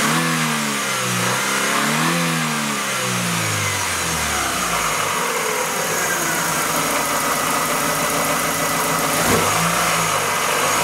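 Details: Chevrolet Aveo exhaust after removing the catalytic converter and fitting a spacer; idle and rev blips rise and fall smoothly with an even, steady note, only a faint ticking on throttle attributed to the empty can; exhaust sounds healthy.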